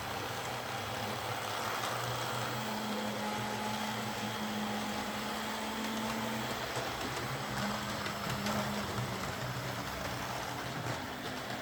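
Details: Old Hornby R751 Class 37 model locomotive after repair, wheels cleaned of corrosion with a rotary tool and brass brush, body refitted, on track: quiet, even motor hum at a fairly steady low pitch with slight wavering over track noise; normal running.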